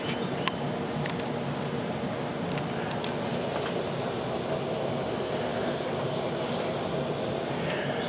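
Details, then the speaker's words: Leaking Trane HVAC unit with oil all over the base, recharged with nitrogen to pinpoint the leak: steady, even hiss of nitrogen blowing off; leak detector alarms everywhere, so the coil is to be unsweated and removed — refrigerant system leak. "so we're going to that that sound that's nitrogen blowing off I put some more nitrogen in there just to see if I could you know pinpoint it"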